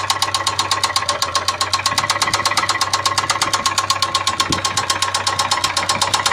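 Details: Ford Sierra 2.0 with a carburetor: a sharp, regular knock at about eight per second rides steadily over the idle. This is an unexplained knock from inside the engine.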